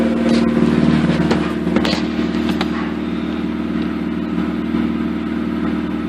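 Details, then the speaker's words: 2004 Mazda RX-8 rotary, 105,000 miles, with new BHR ignition coils, MSD wires and plugs, cold idle after about a minute: a steady even drone with only the odd faint pop, popping already reduced. "it doesn't seem to be popping as much already it's only been running for a minute it's still nowhere near warm"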